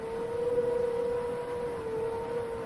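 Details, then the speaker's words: Seven-inch FPV quadcopter in flight at part throttle: thin, steady whistle over the motor hum that appears only at certain RPM ranges; not a loose prop, possibly a resonance, source unconfirmed. "I don't think it's loose I mean I don't fly a ton of seven inch so I don't think that's normal"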